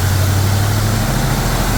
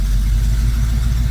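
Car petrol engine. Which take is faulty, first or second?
first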